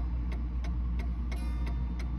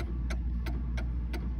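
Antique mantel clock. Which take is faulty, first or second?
second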